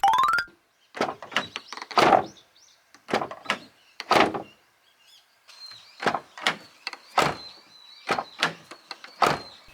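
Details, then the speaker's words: Abarth 500/595 driver's door after fix with the absorber taped in place lower than original: repeated door closes, each a solid thunk with no trailing rattle; rattling gone, though the fix is imperfect. "The absorber is taped, but the rattling noise is gone."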